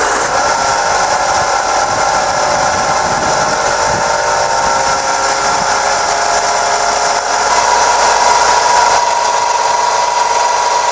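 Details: 2001 Nissan Micra petrol engine running with alternator belt tension loosened to test: steady whirring whine from a failing alternator bearing, confirmed as the cause; alternator was then replaced.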